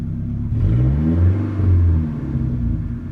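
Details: 1988 Toyota Camry, bogging down badly with the A/C on: low engine rumble swells and sags unevenly as it revs, with a stumbling, lumpy beat instead of a smooth pull; misfire.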